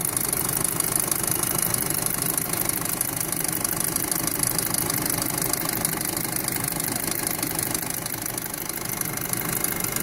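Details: 2007 VW Passat 2.0T: busy fast ticking clatter, about three a second and uneven, over steady idle; abnormally loud engine noise, source unclear.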